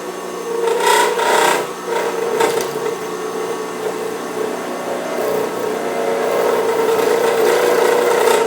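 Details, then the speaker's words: Turning an acrylic pen blank on a lathe, with a tripod on the lathe table picking up vibration. A rough, scraping cut gets louder and chatters toward the end, where the blank is still out of round; it smooths once rounded. "you can hear it kind of getting louder as I get toward the end a little bit of vibration that's because the end of the blank is not completely rounded yet"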